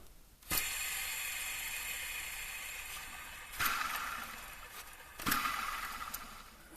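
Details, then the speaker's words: Ford SportKa, belt tensioner/pulley on the bracket, exposed after taking off intake manifold, power steering pump and alternator, spun by hand: rough whirring with gritty ring fading out; bearing possibly dry and worn, unit non-serviceable, to be replaced. "Yep this whole part has to be changed out because it's not serviceable the tensioner and the pulley are part of it"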